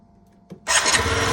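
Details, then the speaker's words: 50cc Yamaha Vino scooter after repair, with a new battery and the injector solenoid reconnected. A brief crank, then it starts on the first kick and settles into a steady, even buzz. "whoa wow first kick okay how easy was that"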